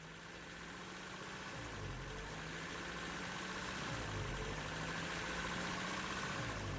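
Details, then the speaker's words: 1993 Toyota pickup 22RE idle surge, revs drifting up and down every couple of seconds; no vacuum leaks found, traced to a plugged coolant passage in the idle air control valve, fixed by replacing the IAC valve. "idle surge meaning that it revs up and down on its own"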